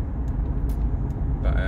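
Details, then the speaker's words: 2013 Toyota Prius T3, just over 100,000 miles, driving at 30 mph and above: steady low helicopter-like whirring drone under road rumble from a failed front wheel bearing. "I've got toyot Prius T3 about it it's a 2013 plate and the the bearing's gone on the front and I can hear it um I'm going to speed up a bit it sounds like um helicopter a woring noise hopefully can it's picking it up so when I do like 30 and above it's quite prominent"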